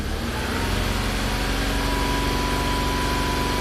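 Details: 2006 Ford Escape with earlier electrical faults, cluster dead and a burning smell, and a battery found below 3 V: smooth, even idle with no misses or belt chirp. Charging is normal, holding 14.4 V against 14.27 V desired, with no generator codes.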